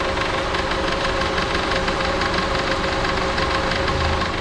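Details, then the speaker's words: Honda (Civic/HR-V) at steady idle: a loose, uneven rattle pulsing about twice a second over the engine, with the tensioner seen vibrating; worn belt tensioner noise, replacement planned. "Quero mostrar para vocês também aqui um barulinho que esse carro tá fazendo de tensionador para que vocês quando escutar esse barulho já vai ficar ligado aí qual o probleminha"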